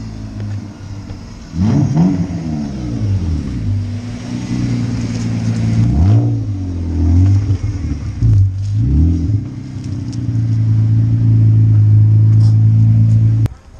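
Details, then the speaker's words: BMW E36 328is after being fixed: six-cylinder revs cleanly several times and settles to smooth even idle, no misses or knocks; runs healthy. "sounds like we got a fix"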